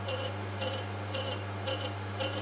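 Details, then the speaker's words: Lathe turning a flywheel at excessive rim speed with deliberate errors (drilled centre hole) to induce chatter: harsh, high ringing chatter pulsing about twice a second over a steady motor hum. "as you can clearly hear it's chattering nicely and I would like to mention just one more time I'm doing this on purpose"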